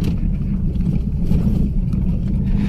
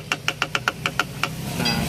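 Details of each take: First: Mazda2 test-driven on rough road after replacing the broken rear suspension rubber stopper that caused clunking: steady low road rumble with no clunks or knocks from the rear; quiet rear suspension. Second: Mazda2 driven over rough roads: quick sharp knocks about seven a second from the rear suspension, whose torn rubber bump stop came loose and leaves nothing cushioning it.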